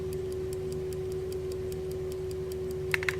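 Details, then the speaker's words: Telenorma electrically wound mantle clock, perhaps 1970s or 80s, running normally: crisp even ticking about five per second with faint hum; the coil's armature flicks over to rewind the spring with a click. "there are it has just gone the armature flicks over and it winds it up the mixers so you can hear it ticking which you would do and also hear the click when it realises the spring"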